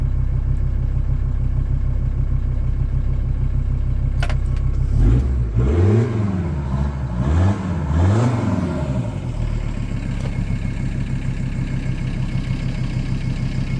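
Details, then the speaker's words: Volkswagen LT35 diesel van after limp-mode fault fixed (replacement ECU tried): steady even idle with a few clean throttle blips rising and falling smoothly, starts every time, no fault codes, no smoke; normal idle and revving. "I've sorted it now on the button every time no fault codes nothing coming up on the reader no smoke nothing back to how it"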